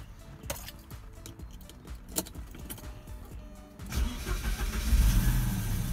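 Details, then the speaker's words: 1987 Porsche 944 Turbo, long-sitting car, first start after engine reassembly with new seals and oil pan, oil system pre-pressurized with air; cranking catches quickly into a steady, even idle, starts normally with good oil pressure. "So I should have oil pressure when I start the car now. Let's see how it goes."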